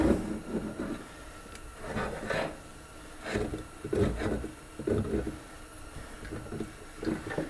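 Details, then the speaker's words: 1947 Briggs & Stratton Model A engine on reassembly, flywheel turned by hand: a dry scraping rub repeats about once a second; flywheel rubbing, a warped pot-metal flywheel suspected, location not yet found. "I wonder where it's rubbing at. Can you hear that? This happens on some of these old Briggs engines. These pot metal flywheels warp."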